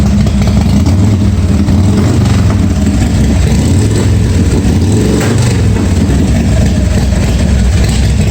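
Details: 1986 Harley-Davidson Softail V-twin, first start after starter and wiring repair, charging working: loud, deep rumble holding steady and even with no misses, knocks or rattles; normal idle and rev.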